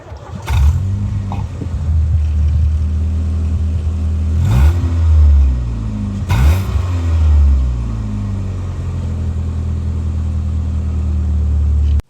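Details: 1990s Ford Mondeo Mk1, five-speed manual, heard from outside: engine catches quickly, then clean throttle blips rise and fall smoothly over a steady, even idle; sounds healthy.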